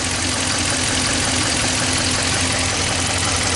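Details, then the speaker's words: 2014 Dodge Ram 1500 5.7L with a cylinder 6 misfire, idling with current clamp and injector probe connected: loud idle with a fast light tick, a few per second; internal damage suspected, cause unconfirmed. Engine ticking at idle. "Yeah, I'm hearing a ticking for sure. Might be our misfire."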